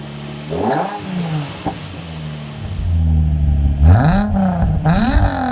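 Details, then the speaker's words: After exhaust replacement to cure a known exhaust blow, engine blipped with mics under the car and in front; revs rise and fall cleanly with no rattles or leak chuffing, sounding way nicer: normal exhaust note. "You know what? I'm really quite pleased with how that sounds. That sounds way nicer, way nicer."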